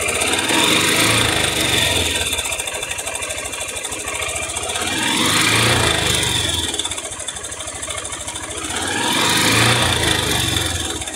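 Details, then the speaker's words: 660 single motorcycle, top cover opened, revved three times: dry metallic rattlesnake-like tapping following engine speed; early piston slap. "Eu quero que vocês diga para mim que barulho é esse, o que que tá batendo nesse 660. Já vai colocando aí nos comentários. É tipo um barulho de cascavel, tá?"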